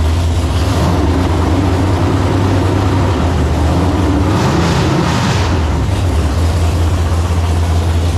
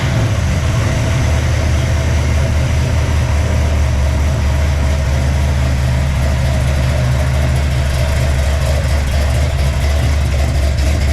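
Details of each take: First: Freshly built 454 big-block Chevy, ported 781 heads, 10.2:1, Clay Smith hydraulic roller cam: deep, strong rumble swelling with throttle and settling back, even firing; carb needs tuning. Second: Freshly built 454 big-block Chevy (El Camino) on its first fire-up, with a Clay Smith hydraulic roller cam, 10.2:1 compression and ported 781 heads: a deep, loud, steady V8 idle that runs crisp. The carb needs tuning out of the box; the squirter spray pattern is disruptive where it hits the boosters.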